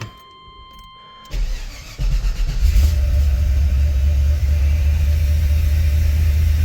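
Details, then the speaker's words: 1993 Chevy K2500 V8 from a junkyard, cold start in garage, previously drowning in fuel and limited to 60 mph: cranks and catches into a heavy, uneven loping idle with visible shaking; runs rough cold, better once warm, cause unconfirmed. "Okay, now it's running. It's running a little bit rough."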